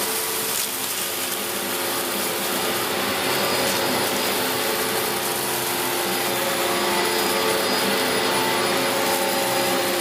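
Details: Steady, even roar with a constant airy hiss and no surging or rattles from a 17-year-old Dyson DC04 Limited Edition upright vacuum during a big-mess pickup test; motor running healthy, pre-motor filter previously cleaned.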